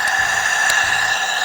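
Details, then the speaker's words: Jeep Renegade/Fiat Toro engine with a rattle under acceleration, during a leak-down test with the engine off: a constant high hiss of air. The head gasket has blown between cylinders 1 and 2, letting compression pass into the neighbouring cylinder. "então nós temos um problema aqui ó e junta de cabeçote temos um problema aqui junto do cabeçote ajuda ela estourou ela rompeu entre o cilindro 1 e 2"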